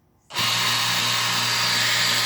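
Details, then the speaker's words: Aquabot Turbo T pool cleaner after repairing a failed wire near the factory joint; set to continuous run, the pump motor spins up quickly to a steady high whir over a low hum, no grinding or stutter, running normally. "So we have the pump running, and we also have the, there it is. So that's working."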